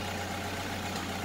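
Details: Petrol engine running during oil change with 0W-20 synthetic: smooth, constant low hum at idle with no ticking or knock; sounds healthy.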